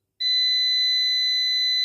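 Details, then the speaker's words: New PowMr 3.2 kVA / 3000 W inverter under diagnosis; it reports a battery error although the battery reads about 26 V. After a settings reset, a piercing unbroken alarm beep holds steady until the buzzer is disabled. Cause unclear. "Ну значить тоді вимкнемо цього пищика включить отключить примінить всесь примінилося не пищіть"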